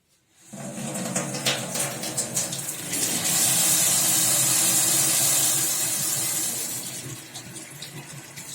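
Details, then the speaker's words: Tap after rebuilding the valve cartridge with new ceramic discs, which before hummed and squealed on opening and sometimes dripped; now a smooth steady rush of water with no hum, squeal, vibration or leak. "все ничего не течет ничего не гудит не репит не вибрирует все"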